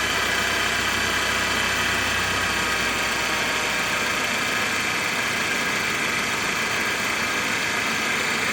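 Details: 2016 BMW X3 xDrive28i with N20 petrol engine at idle: loud, steady high-pitched whine diagnosed as a failed belt pulley bearing.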